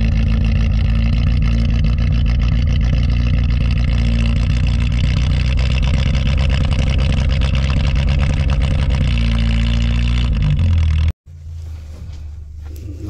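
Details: 1983 Toyota Tercel wagon (rescue car), usually a little stubborn, cold start at about -6°F wind chill in Pennsylvania after sitting a couple of weeks: catches and settles into a steady, even, tractor-like low idle, no misses or knocks; normal cold start and idle.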